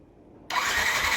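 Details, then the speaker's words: Yamaha NMAX V1 scooter that had not started for a month, odometer 105 km, no check-engine light, battery at 12.2 V: the starter spins evenly with no firing pulses, cranking but not catching; the cause was a clogged fuel injector. "Kapag ganito yung battery mga bossing, nasa 12.2 pa, kayangkaya pa sana nitong umandar. Kaso dito sa motor na to ayaw mga boss, subukan natin ip start."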